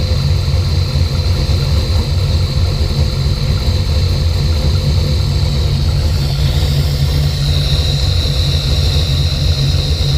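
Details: V8 with Holley Sniper EFI, fuel pressure 50-58: steady deep idle with a slight shift partway; AFR issues, hesitation, stalling and popping began suddenly after months running great, cause not yet found.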